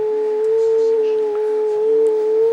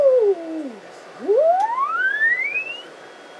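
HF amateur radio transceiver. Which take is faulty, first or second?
first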